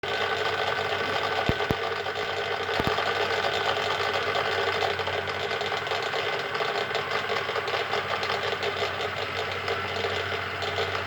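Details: Schaublin 13 lathe gearbox run without oil, only the two involved gears fitted: fast, steady metallic rattle like a sewing machine from the dry-running gear pair.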